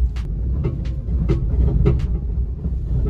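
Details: 2002 high-mileage Nissan Pathfinder R50 after a front-end accident, driving and turning: irregular sharp knocks over a low rolling rumble; wheel pushed back, lower control arm needs replacing, alignment needed; damaged front suspension suspected.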